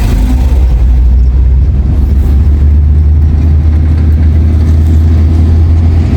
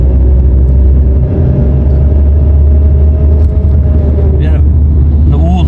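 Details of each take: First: Nissan Primera P11 after a gearbox rebuild for a bearing noise, water had got into the transmission; smooth, steady low engine drone with no whine, grind or clunk, in gear or neutral, clutch pressed or released; gearbox now normal. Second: Nissan Primera P11 manual gearbox; loud low drone with a steady mid-pitched whir, heard when the clutch is pressed and stopping on release and in gear; worn gearbox bearing, water had got into the transmission.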